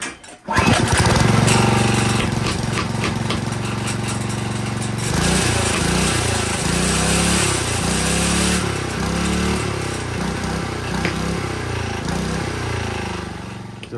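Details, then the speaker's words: Single-cylinder engine run on hydrogen for two years, chugging about four beats a second with a faint uneven metal-on-metal knock; piston slap or internal wear suspected before teardown. "out the the spark plug you can hear some knocking inside the engine something metal on metal something that's not quite right which sounds like this"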